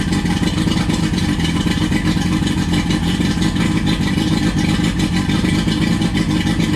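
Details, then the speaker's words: A 20-year-old 1999 Johnson 115 two-stroke outboard on a 1999 Wellcraft 190 CCF, running on muffs after the cold start. It holds a steady, buzzy drone at an even pace with no stumbles or misses. Normal running. "after you start up for the first time after you get that cold start done it should just crank up without choking or anything right after that"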